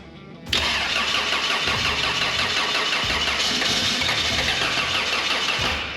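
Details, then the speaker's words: 1985 Toyota Sunrader RV after engine replacement, first start with fresh engine: steady fast starter churn with busy gritty top end, runs on without catching; extended cranking, cause suspected not confirmed. "Bơm xăng lại Giữ nó xuống sàn quây nó lại"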